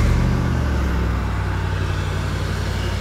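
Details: Car that previously had no crank, no click due to a bad engine block ground, cranking with a jumper cable from battery to block: steady rumble, catches and runs evenly, no clicking or hesitation; normal crank and start.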